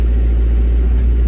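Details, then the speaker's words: Develon diesel, after joystick plate adjustment, part lever up: deep, steady diesel idle with no knocks, misses or surges; auto idle working, plate not overtightened. "So if we put the part lever up, auto idle appears to be working."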